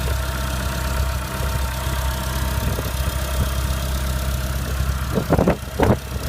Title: Clio 197 Strange Engine Noise Cold